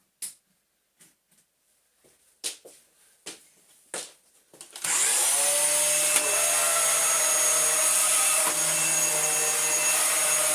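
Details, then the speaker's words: Dyson vacuum, lightly used, with brush roll fitted: several sharp scraping bursts that free up into a steady high motor whine as a seized brush roll bearing violently unseizes, then runs okay. "We just had the life cycle of a seized brush roll bearing start to unseize itself, and then really violently unseize itself, and then run okay."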